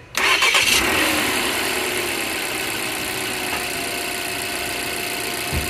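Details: 2015 Volvo S60 no-start with new starter and battery, clicking only; starter jumped with solid connection, cause traced to fusible link/cable from battery positive to starter. Brief starter whirr, engine catches at once into smooth steady idle. Normal start.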